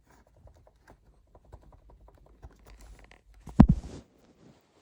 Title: MacBook Pro 16 M2 Max Clicking and Creaking Noise From Back When Shake or Press Laptop